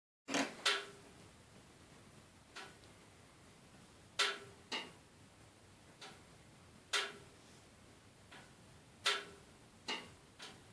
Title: Termatech TT20 RS making noise